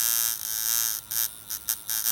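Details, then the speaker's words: Camber Custom coil tattoo machine with short coils, turned up to 9 volts: hard, high-pitched buzz with fast even drive, noise changed and power stronger; running healthily. "up to nine volts changing noise again"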